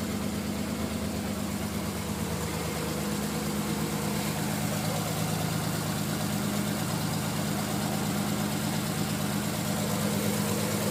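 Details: Non-turbo Nissan R33 at cold idle after sitting about 2 days and hard cranking: uneven, lumpy idle with irregular dips, misfiring until about 10 minutes warm-up; coilpacks, injectors, gasket, fuel supply checked fine; cause unknown.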